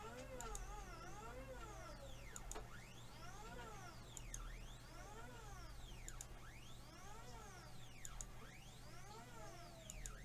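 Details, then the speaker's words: 3018 mini CNC: quiet stepper whine sweeping up and down about every two seconds; motor stalls because the axis binds with one of two screws tightened, and moves freely once loosened. "you hear that that's because that murder can't move now if I loosen that off it can now move so that's that's obviously a big issue here"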